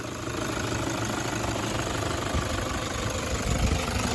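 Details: 2009 Toyota Hilux 1KD-FTV D-4D diesel, 218,000 km, after one faulty injector and its pipe were replaced: smooth, even diesel clatter at idle with no tapping or stumble, engine cover off, air-con on. Normal idle after repair.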